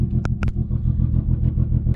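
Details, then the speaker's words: MK4 GTI/Jetta after installing Bosch 630cc injectors and a new fuel pump, first cold start before the stage 2 tune: low, uneven, loping idle rumble; the air-fuel gauge shows a heavily rich mixture, and the idle smooths out once cold start ends. "you guys can hear how bad it sounds because it is running some heavy heavy uh rich content you can even see on the air fuel here"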